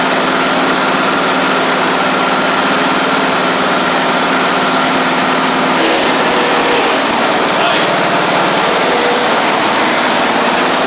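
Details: Sabre riding mower after a transmission drive belt replacement, in neutral with the parking brake on: the small single-cylinder engine starts and drones at a steady pace with no stumbles or knocks. It runs well and drives.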